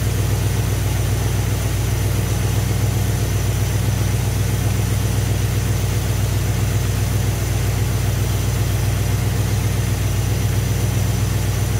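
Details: Carbureted engine with Thermoquad carburetor, after idle mixture screws set to maximum vacuum on a vacuum gauge; previously ran rough with little vacuum, now even, low idle with a steady beat and no misses.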